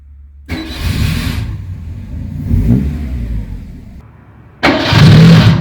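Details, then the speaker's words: Fiat 147 with a homemade exhaust cut-out valve open, loud enough to saturate the microphone: the engine catches after a short crank, then a deep, loud exhaust rumble swells hard on the throttle blip. Starts and revs normally. "We are going to start the car and I am going to leave you some clips with the sound of how it sounds with it."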